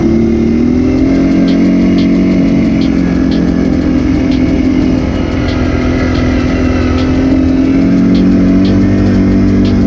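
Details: 2006 Arctic Cat 400 ATV after engine rebuild (it had earlier died on a hill and lost spark), being ridden on the trail under load after a cool-down. An even single-cylinder drone rises and falls with throttle, with no knocks or misses. Running normally.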